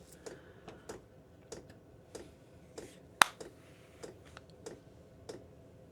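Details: Chinese diesel heater, wall-mounted in a workshop, starting up after about two minutes: sharp light ticks roughly twice a second over a quiet background as the chamber begins to fire; normal, constant dosing pump ticking.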